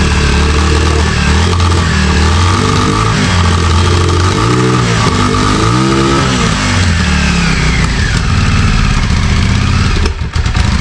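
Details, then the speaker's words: 34-year-old Yamaha Virago 535 that last ran in 2003, after a carb clean, running after a ride around the block: idles very high with an uneven, stumbling misfire. Owner suspects carbs or a dead spark. "So, I've got it running. It took it around the block and it seems to be idling very high and it seems to be like misfiring as well."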